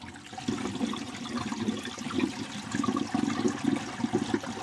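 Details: Kitchen sink drain with its island vent disconnected and a Studor air admittance valve fitted: water gurgles and trickles down in uneven splashes with no hiss or sucking from the vent, so it is venting and draining normally.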